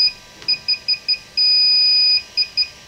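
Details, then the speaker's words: DJI Phantom 4 Pro remote controller firmware update at 0%: repeated short high-pitched beeps with one long steady tone in the middle, the expected beeping during the update. "it's saying upgrading right now is at 0% and you can hear it beeping now"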